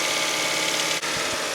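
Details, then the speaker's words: First-generation Honda Insight hybrid idling a little high. A steady airy hiss over the fast idle is heard, indicating a vacuum leak whose location has not yet been found. "It is idling a little high. Let's see if we can't figure that out. What in the vacuum leak? I can hear it."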